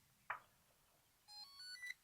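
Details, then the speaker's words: Delkim Rx-D v2 receiver powering on by holding all three push buttons: a button click then a short run of stepped electronic beeps rising in pitch, green light, normal startup. "all you got to do is turn it on, and to turn it on, all you got to do is hold down all 3 push buttons,"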